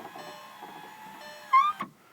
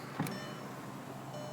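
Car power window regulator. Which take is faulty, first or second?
first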